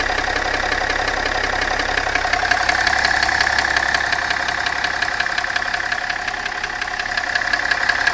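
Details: BMW M57 diesel at idle, knock clearer when hot: steady idle with a sharp, regular knock about three times a second riding on top; internal engine knock, cause unknown.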